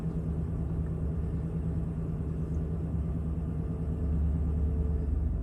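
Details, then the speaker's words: 2011 Chevy Silverado 5.3L V8, previously throwing a P0307 cylinder 7 misfire, started after replacing spark plugs and wires: a low, even rumble with no skips or vibrations, idle settling down steadily and no check engine light. Normal idle. "Oh yeah, fired right up. Sweet, no weird vibrations or nothing."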